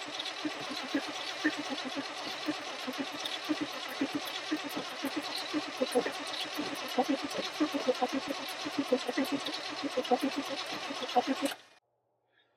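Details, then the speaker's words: 1978 Chevy C10 Custom camper special, 350 V8, long parked with old gas in it: steady rhythmic cranking about eleven seconds, never fires. Crank no start; owner wonders if he flooded it. "I'm sure there's a bunch of you know just that old gas that's in there I wonder if I just kind of flooded it out"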